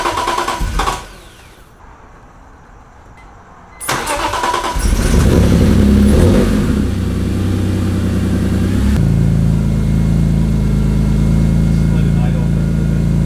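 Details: BMW E46 M3 after throttle body cleaning to fix rough idle, throttle lag and cold-start trouble: long crank, stumbling catch, uneven revs, then shaky idle; hard starting and rough running after reassembly, cause unclear.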